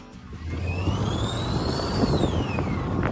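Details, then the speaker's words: Engine the customer said sounds like a kazoo: a thin whistle climbs with throttle over the engine, then drops off when released. The mechanic attributed it to a turbo wastegate stuck open. "The mechanic said that this was due to the wastegate being stuck open."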